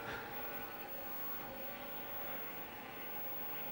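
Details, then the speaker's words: Apple Atmark Pippin game console, nearly 30 years old, with its PRAM battery replaced, booting without a disc. A steady, loud whooshing whir with faint fixed tones runs unchanged throughout; the cooling fan is very noisy and sounds worn. "Looks like it's booting all right. Wow, that's fan noise is just so noisy."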